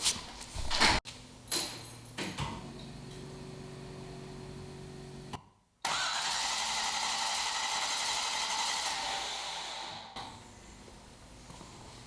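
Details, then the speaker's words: Rebuilt 1973 International Scout II, fuel-injected, first-fire attempt: bursts of starter cranking with no catch, then long hiss; turns over but won't fire. Spark confirmed, fuel leak thought fixed, fuel reaches pump but not engine; owner also wonders about timing. "i got spark i had a fuel leak here i think i fixed that so obviously fuel's getting to the pump but it's not getting to the it's not getting to the motor either"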